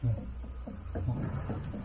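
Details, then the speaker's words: Haval H9 at about 86,000 km, often towing a caravan, on a lift: dull hollow repeated clunks under the car; play in the driveshaft slip-yoke spline, causing an occasional clunk and jolt when re-accelerating after lifting off at low speed; replaceable. "是这个声音啊。传动轴有间隙啊，就咣当咣当响的。"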